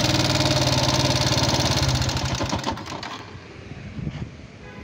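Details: Yamaha Jupiter MX King fuel-injected motorcycle with thin exhaust smoke, before engine teardown: rough, fast "kletek" clattering tick about three or four a second that dies away with the engine; significant wear of piston, rings, valve seals or guides suspected.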